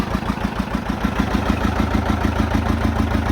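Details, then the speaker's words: 1959 John Deere 830 Industrial diesel started via its gasoline pony motor after oil change and leak repairs: even, deep chuffing idle about three pulses a second, steady with no knocks or misses; healthy engine. "so it's just kind of nice to hear the big engine running I don't think there's a better sound in the world than that"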